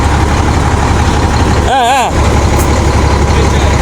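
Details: International concrete mixer truck diesel, broken down about four years, after an alternator and control unit voltage fix: steady low rumble at idle with a brief whistle over it; normal idle, alternator now charging.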